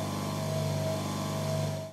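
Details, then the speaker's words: Three-phase motor run on single phase, turning in the correct direction: steady, smooth, even low hum with no rattle or growl, then a quick drop at switch-off; normal running. "break its nail runnin in the correct direction we love to talk it sounds nice and quiet"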